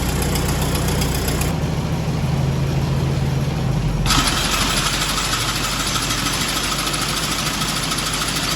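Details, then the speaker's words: Ford tractor with repaired John Deere sickle mower on PTO: tractor fires straight away and settles to an even idle, then steady smooth chatter from the engaged sickle drive joins at about four seconds; normal running. "So got it hooked up to the Ford, and it's been the 2-3 times I fired it up. It's been firing right up, running good."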